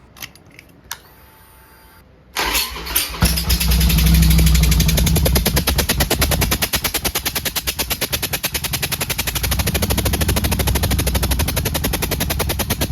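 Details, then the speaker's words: 2007 Harley-Davidson Nightster XL1200 V-twin with a leaking (blown) head gasket on one cylinder, second time failing; fires up into a choppy, puffing lawnmower-like beat with uneven pulses before top-end rebuild. "give you guys a sneak peek as to what it's doing and how funny it sounds so just laugh with me not at"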